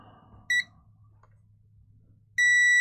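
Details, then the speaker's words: Karcher MV5 window vac (flashing red light), dead after being dropped; a new battery didn't fix it. The multimeter on continuity gives a short chirp, then a continuous high beep across the JQ28 motor, reading 0.03 V drop both ways. Dead short in motor winding. "and that thinks it's a straight short with 0.03 of a voltage drop. If I swap the leads over, it's the same. So the motor's knackered."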